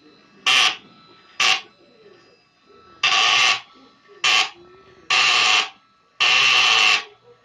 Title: HEQ5 SyncScan typical abnormal sound (duck quack) VID 20170927 154810